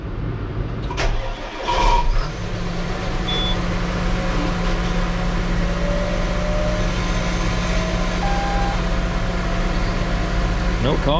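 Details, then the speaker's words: John Deere 8235R tractor, cold start on a weak battery (water pump leaking): brief crank, fires quickly into a steady, even cold idle. No caution lights; oil pressure 67 psi at cold idle, fine. "caution light or nothing flashing. That's what we want. What's our oil pressure at? 67 PSI idling, cold. I mean, just fine."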